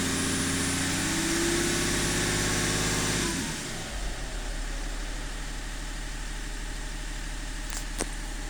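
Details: E39 engine idle with an uneven, wavering beat and a lumpy pulse after it settles lower; a rough idle, cause not evident.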